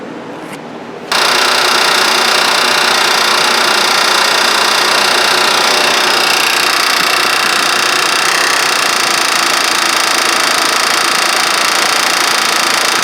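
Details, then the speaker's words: Honda 3.5L VTEC engine (Odyssey/Pilot) running, heard right at the timing belt tensioner: loud fast clattering rattle varying with RPM; tensioner suspected blown out, lost hydraulic fluid, pulley slapping. Timing belt tensioner slap. "I think that tensioner may be blown out, lost its hydraulic fluid, and then the tensioner pulley is just slapping."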